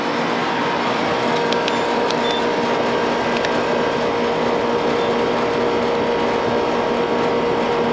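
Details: 15-year-old never-serviced AC condenser; loud steady mechanical drone, mid-pitched hum over coarse rushing; loud condenser fan motor noise, amps low against a 1.1 rating; bearings suspected, not confirmed, motor to be replaced after capacitor check.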